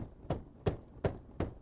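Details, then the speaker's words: 2025 Alfa Romeo Stelvio Tributo Italiano, about 14,000 miles: sharp plastic clacks about every third of a second over bumps in soft suspension mode, from a non-serviceable black gear box inside the tailgate; gears suspected broken or ungreased, persists after soundproofing. "And the rattle is still, every time I hit a bump, you hear the gears and the rattling."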